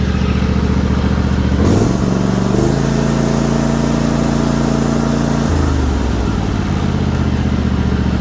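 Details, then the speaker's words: John Deere GT245 lawn tractor, 20 hp Kawasaki V-twin, 621 hours, after tapping fix: smooth, even thrum rising and falling with throttle, no valvetrain tapping, sounding healthy. "Sounding as good as ever."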